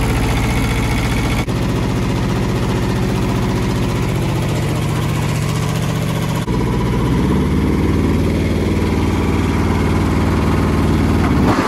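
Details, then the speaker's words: Kubota T1600 diesel mower with the deck engaged: steady drone with rough, gritty grinding from worn, shot deck bearings; owner first suspected the gearbox. "that's pretty bad sounding so i'm starting to think it's a gear box you can hear obviously the bearings in there is a shot"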